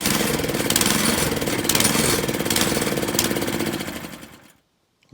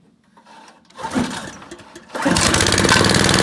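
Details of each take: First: Honda tiller engine surging at idle and when not under load; owner suspects a plugged carburetor idle jet. Small engine chugs with uneven, rising and falling bursts. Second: Honda tiller engine after cleaning a plugged idle air jet to cure surging at idle: a recoil pull, then the small petrol engine catches and settles into a steady, even run; normal idle after the fix.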